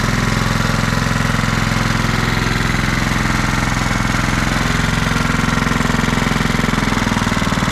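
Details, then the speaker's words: Kohler Command 16.5 hp single-cylinder on a Craftsman riding mower that sat outside over a year, first start on jumper pack: steady even thumping with no misses, runs well even at low RPM; normal running. "Well, it runs pretty good. Even ran at low RPM. That's usually what they'll struggle with if there's something going on in the carburetor. It won't idle quite right."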